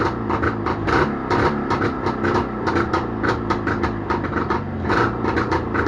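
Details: Jawa motorcycle two-stroke twin started after repair, holding a quick, even crackling beat with no knock or misfire, music in background; normal running.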